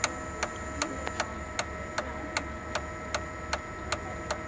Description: Sharp MX6240 MX7040 ticking noise from fuser drive gears. Cluster including bearings and gears are bad and needs replacement.